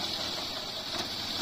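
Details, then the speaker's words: Honda Dream Yuga motorcycle gearbox after repair, wheel spinning: steady even hum with a light high whir and no gear whine, clunk or knock; the gear now runs quiet and healthy. "Gear में कोई भी आवाज नहीं है gear का सारा चीज up to date है फर्स्ट क्लास है"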